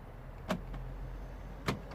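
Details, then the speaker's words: 2009 VW Golf interior locking button after cleaning and repair (previously locked but wouldn't unlock): two crisp lock clunks about a second apart, firm and quick with no buzzing; central locking working properly. "oh oh can you hear this i'm not even putting much pressure i don't know if you can hear it i really hope you do see the light i just gonna press it working beautifully"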